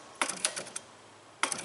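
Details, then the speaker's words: 2004 Buick LeSabre with inoperative cruise control: throttle opened by hand gives sharp dry clicks and a scratchy catch from a carbon-gummed throttle body; possibly stressed the cruise module, which was to be replaced. "pretty good you hear it clicking here how it catches so it has what we would consider throttle body cing so inside this throttle body unit it's pretty gummed up"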